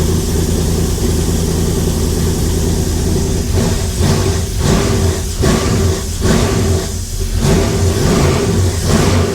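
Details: LS-swapped 1956 Chevy V8 revving with a loud rumble rising and falling smoothly, no knocking; gauge reads zero oil and fuel pressure, likely a faulty sensor; lifters only slightly clickety, not terrible; normal revving.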